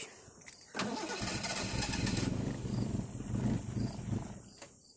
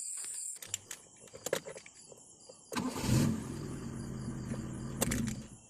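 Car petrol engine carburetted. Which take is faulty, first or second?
first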